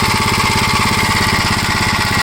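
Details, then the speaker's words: 1956 Gravely L single-cylinder engine after re-adjusting the carburetor, idle brought down: uneven, lumpy thumping with occasional pops and stumbles before cutting off; rough running, cause unknown. "I'll let you see how bad this runs well I tried to adjust the carburetor again but idle's up okay then when you bring it down the idle you got that it's not too bad pops once in a while"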